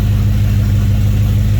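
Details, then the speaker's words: BMW E34 530i touring swapped to M60B40 V8 and 6-speed manual, off road 7 years, after replacing a part suspected fried with open circuit fault to improve idle: smooth, even low idle, steady firing pulse, no hunting or dips; normal idle. "i don't know if you can hear me but it seems to be idling great"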